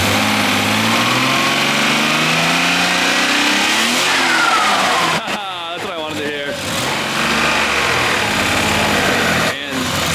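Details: RB25DET swapped into a Nissan R33: engine blips up and settles back cleanly, revs rising and falling smoothly with no chatter or belt noise; runs healthy, random misfire still unresolved.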